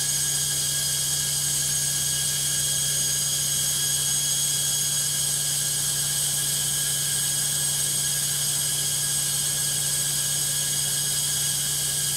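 Loud steady roar in the high-speed spin with a constant hum and shrill whine on top; noisy spin, cause unknown.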